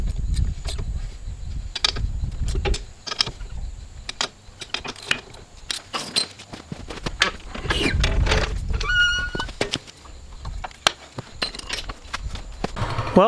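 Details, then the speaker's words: Cub Cadet M550 Challenger UTV test drive after replacing the failed left rear inner wheel bearing and seals: loose body clatter and rattles over bumps, but the former loud intermittent grinding is gone; bearing now quiet, problem solved. "after taking it for a bit of a drive, uh there's no noise, so I call this problem solved."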